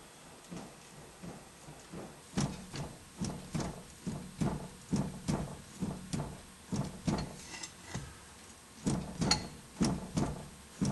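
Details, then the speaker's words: Strut-type suspension, wheel jacked up and levered with a pry bar under the tire: repeated dull metallic clunks about once a second from a worn loose lower ball joint carrying the tire and spindle weight. "joint you actually hear the clunking and the reason that is is because you got the weight of the tire the weighted spindle and everything resting on that spindle"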